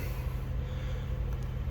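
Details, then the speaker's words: Diesel heater: on startup the blower spins up with a low, steady hum and no rattles or scraping while the glow plug igniter is on; normal fan startup. "and you'll see the fan starts blowing that's the glow plug igniter the little red icon tells you that the glow plug is on"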